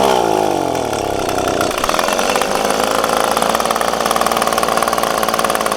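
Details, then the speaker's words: Echo PB-250LN handheld two-stroke blower, full tank, at operating temperature: buzz climbs past half throttle then stumbles, cuts out and holds a ragged note; bogs when hot, owner fitting a tune-up kit. Cause not confirmed. "got up to running temperature and as soon as I get to pass about half throttle and I try to keep squeezing it it just it just cuts out"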